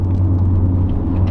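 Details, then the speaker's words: 2017-2020 Ford F-150 driving above about 20 mph: steady low growl from the front, felt in the steering wheel when turning left, indicating worn right front wheel hub bearing. "when I turn to the left I can actually feel that growl in the steering wheel which means that it's the right front"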